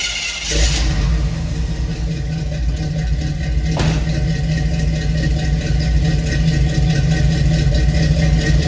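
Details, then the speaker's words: Chevy C20 squarebody V8 truck after a different carburetor and new welded exhaust with tips and rubber hangers: revs rise and settle into even steady idle, deep exhaust note, no misses, knocks or hiss; runs quiet and smooth. "all right it's running pretty quiet up here runs really smooth really impressed with the way it sounds"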